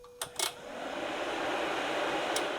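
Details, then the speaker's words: 12V electric cooling fan wired with a 4-pin relay and thermal switch, triggered by grounding the switch wire: sharp relay clicks, then the fan whooshes up to speed, normal relay switching. "So, you could also hear the audible click on the relay right here. This This is the relay clicking on and"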